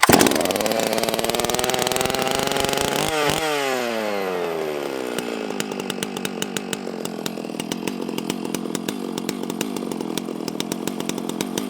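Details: Stihl MS660 chainsaw just after a maintenance service with a dual-port muffler mod, started choked with the decompressor in: fires, revs high, then falls to a steady idle with even, regular firing pulses; runs clean and healthy.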